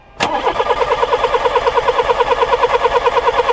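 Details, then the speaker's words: Older VW Polo with a 1.4 petrol engine that won't start: the starter turns the engine at a steady beat of about two revolutions a second with no firing, and no spark comes from the plug, indicating an electrical fault. "Bon, nous avons vu, on n'a pas d'étincelle qui sort au niveau de la bougie. Bon, eh bien, ça doit être soit ici. Donc là, je sais que c'est un problème d'électricité."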